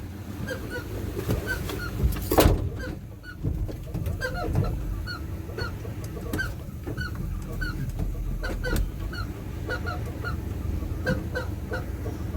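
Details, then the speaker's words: 1980 Chevy 4x4 truck idling with AC compressor manually engaged via pressure switch: sharp chirping squeals about twice a second over low idle; blower fan suspected as the culprit, needing WD40 to free it. "so that squealing you're hearing is the um looks like the fan yeah the fan I'm going to have to break the fan free that's the blower fan so needs a little WD40"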